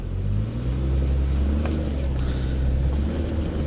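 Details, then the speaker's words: 2006 Chevrolet Trailblazer pulling away in gear after repair: low, even drivetrain rumble with no more marble-in-a-tin-can ting; the starter had been causing the noise and replacing it fixed it. "no more noise yay do it one more time yes that noise is gone"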